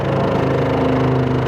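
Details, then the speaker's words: RV water pump short cycling: steady droning hum about 1.5 seconds then abrupt cutoff, repeating all day with a little hiss as line pressure bleeds back into the tank; check valve in pump suspected damaged by freezing, no line leaks found. "And the water pump is going to kick back on in a second. Yep, and there's a little hiss there, so I don't know if you can hear it. But it just keeps doing this all day."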